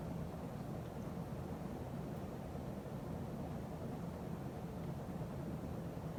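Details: 1980 52-inch Emerson Heat Fan ceiling fan after blade balancing and bearing replacement: smooth, steady low whir with no clicking, knocking or bearing noise, only a faint buzz from the solid-state speed control; a slight wobble remains.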